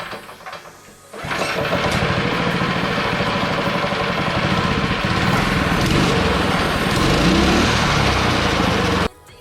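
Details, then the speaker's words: Decade-old shelf engine fitted to a cheap half-built drift trike frame, just test-fired, governor still on and no throttle cable yet: catches after a short crank and settles into a steady, even buzzing idle, no misses or knocks; normal start and idle. "So stay tuned, but for now you'll see the motor run."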